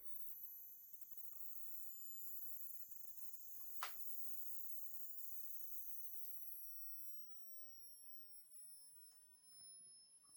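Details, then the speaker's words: Large 5 lb coil in a Joule-Thief-like oscillator charging a capacitor bank: a thin, very high-pitched whine slowly sliding in pitch. The coil starts ringing once the cap voltage rises above battery voltage, around 46–47. "After it gets above the battery voltage, you'll hear it start to ring."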